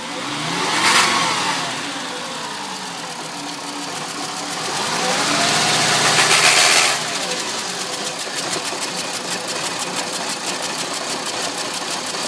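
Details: 2005 VW Jetta MK V, 146,690 km, VCDS shows engine malfunction: uneven chuffing idle with a rev blip and irregular stumbling beat, a misfire of undetermined cause.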